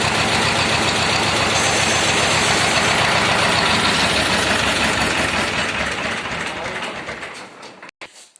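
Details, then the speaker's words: T-25 tractor diesel after repair (new brake drums, new clutch-pedal seals, cable throttle). Even diesel chug at about 220 beats a minute holds steady, then fades as the engine is shut down; runs normally. "А так, нормально працює."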